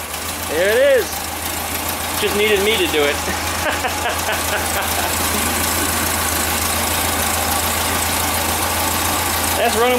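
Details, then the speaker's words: 1974 Super Beetle rebuilt air-cooled flat-four after reinstall, with a larger drilled carb jet and old gas: steady, even running with no knocks or misses; a voice shouts over it. "shitty gas in it actually it runs pretty damn good when did you ever see it do this before"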